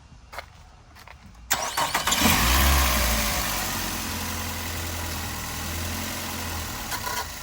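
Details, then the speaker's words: 2007 Nissan Altima in drive: engine idles with a rough low shudder and rattle as it shifts because worn engine mounts no longer hold it; replacing the mounts should fix the noise and shaking. "The engine making that noise because the mounts. Yeah, put it in drive. See, the engine is shifting because the mounts ain't doing their job, and it's causing that little noise."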